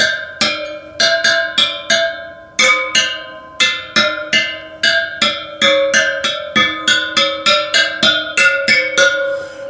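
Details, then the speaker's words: Honda GL1000 Goldwing wheel restoration, old wheel's spokes tapped one by one: each gives a clear ringing ping at fairly even pitch, showing properly, evenly tensioned spokes, unlike new barely-tensioned spokes that make no tone. "you can hear them making [Music] a a definite um tone or noise"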